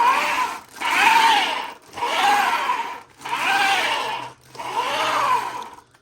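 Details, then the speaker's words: Custom 12S Traxxas X-Maxx RC truck with Hobbywing MAX4 560kv, new gears, rolling test: four run-ups of whirring gear train with faint recurring catch each pass; rough spot in the gears still wearing in. "Yeah. You can hear it catching on that one every so often. Listen. It's starting to work its way out now."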